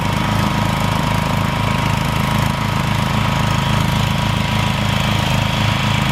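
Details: Rebuilt Troy-Bilt mower cutting grass, after new piston rings and a brand-new carburetor adjusted about half a turn. Steady single-cylinder drone holding revs evenly while cutting, no misfires or sagging; normal running under load.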